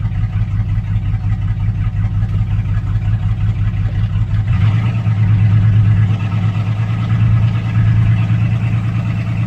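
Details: 2006 Chevrolet Silverado 4.3 V6 with P0305 and P0200 codes, check engine light blinking. Low uneven idle with irregular stumbles and a loping, unsteady beat as one cylinder drops out. Injector, harness open or ECM signal suspected, unconfirmed.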